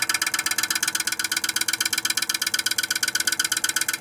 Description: The Viessmann Vitocal151-A makes a loud noise due to the accumulation of ice even with heated tape.